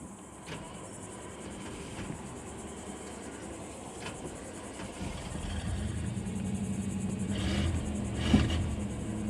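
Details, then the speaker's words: 1995 Chevrolet Silverado shop truck after it died and restarted: quiet, then catches and runs with an uneven, stumbling low rumble and missing beat; misfiring, ignition coil suspected, not confirmed. "that yeah it's definitely missing now dude all right let's get a coil see if that cleans it up man"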